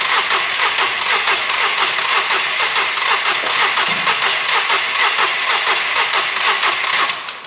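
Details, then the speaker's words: SEAT Ibiza three-cylinder just refitted, easy-start sprayed into the inlet, air filter not fully on, accelerator not pressed: steady starter whirr about two turns a second for seven seconds, no firing; cranks, no start. "What I've also had to do is, I didn't actually press the accelerator. So I'm going to press the accelerator now and turn the engine."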